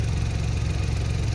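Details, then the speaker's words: Suzuki DA64W K6A engine after replacing the timing chain, chain guide and tensioner for fault code P0008: a steady, low, even idle with a smooth throb and no knock or rattle; the code has cleared. "pansin natin ngayon na sobrang smooth na talaga ang andar ng makina."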